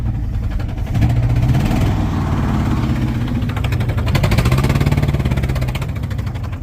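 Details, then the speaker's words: 1979 Dodge truck, sat over 10 years with an engine problem, finally idling with alternator charging: lumpy, loping idle with a gallop, dropping a pulse audible at the exhaust; misfire from a dead cylinder. "You hear a gallop and a miss. You hear the exhaust, you can hear the miss. It's pretty bad. So it's got a dead hole."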